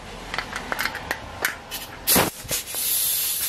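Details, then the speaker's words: Air tool on a 2013 Ford F150 coil spring and strut replacement: sharp tool clicks then loud steady hiss between bursts; compressed air escaping past a poor hose fitting. "You'll hear a lot of air hissing by because this fitting is crappy."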